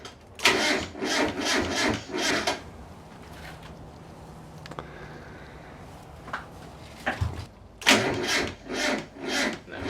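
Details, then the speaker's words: Mazda Miata drift build project car, battery just reconnected: the starter churns in even beats about twice a second over two long attempts and never fires; it cranks but won't start. "Yeah, ain't happening."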